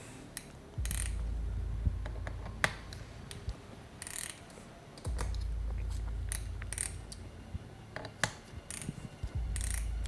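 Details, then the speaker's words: Torque limiter set at 15 inch-pounds on rifle scope ring screws: sharp, light ratcheting clicks come in quick irregular bursts as the head slips at its preset torque, preventing overtightening. Torque limiter clicking at set torque. "t from the central screws and upon achieving the torque load of 15 lbs inch, which is quite small load, you can hear the idle rotation of the head, preventing the overtightening of the scope's mounting screws."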